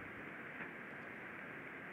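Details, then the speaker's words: Ultrasound signal from a bearing, shifted from about 38 kHz down to the audible range: a smooth even hiss with no impacts. Healthy rolling bearing, used as a reference in ultrasound-assisted lubrication. "là ici on peut aller écouter un roulement qui est parfaitement sain"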